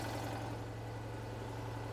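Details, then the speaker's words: Citroën 2CV twin-cylinder idling: steady low idle with a sharp puffing tick on every firing pulse; at first crossbox seam was suspected, but a hole blown in the exhaust manifold under the car, getting very hot, is the leak. "this is more serious when i thought she's blown a hole in the manifold so i've just pushed back a flap of metal under here that's getting very hot very quickly that's where the blow is"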